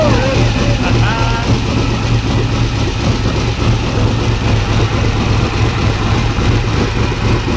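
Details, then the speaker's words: 1992 Ford F150 prerunner, first start after a five-year build: loud, choppy idle with irregular low thump; rough running with fuel pressure way low and oil pressure low at 26-27 psi but climbing. "way low on fuel pressure and the oil pressure is too low"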